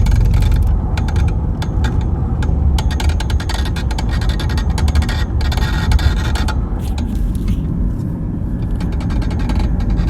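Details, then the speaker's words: 2016 BMW 320d on road test, rattle heard from center console under acceleration, fading off throttle: quick irregular metallic clicking over deep drivetrain rumble; broken bracket let handbrake cable touch the propeller shaft. "एक बार दीजिए तो ये आवाज़ बढ़ रहा है अभी जैसे आप एक्सीलरेटर छोड़ो तो आवाज़ नहीं ए रहा थोड़ा वाइब्रेट हो रहा है"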